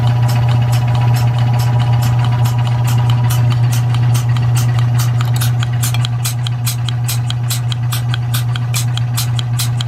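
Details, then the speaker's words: Rebuilt Surge milking-machine vacuum pump, probably mid-1940s, with new electric motor, belts, hoses and oil, regulator turned down to 13; strong even drone with a light regular tick about 2.5 per second, running smooth and well. "it's been running for a little while seems to be running well sounds good"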